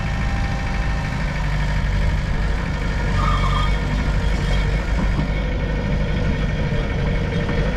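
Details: Mitsubishi BD2F dozer diesel revived after two or three years sitting, moving on its own power: steady, even low regular rumble with no knocks or misses, running smooth; normal diesel running.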